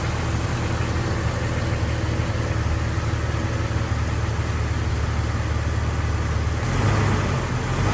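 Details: Warm 2000 Jeep Wrangler TJ Sahara, stock, automatic, 122k miles, just driven: smooth, even low idle with a slight rise near the end, no knocks, ticks or misses; healthy idle.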